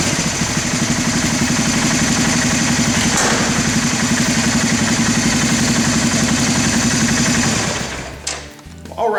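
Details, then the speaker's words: 1991 Honda TRX300 4WD that sat 5 years, after carburetor cleaning and pilot screw adjustment for the fastest idle: a quick, even single-cylinder idle holding steady with no stumbling or hunting before shutoff. "I think it's right about there now all we have to do is just readjust our idle speed and we'll have this adjustment finished"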